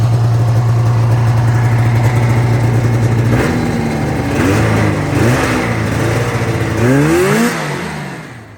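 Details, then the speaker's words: 1985 Yamaha XL-V 540 race-build snowcross sled, two-stroke: steady idle buzz then crisp blips picking up cleanly; owner notes a mid-range pop/backfire under riding though plugs read brown; running well, normal idle and revving. "But I'm really happy with the sled. It's running really well."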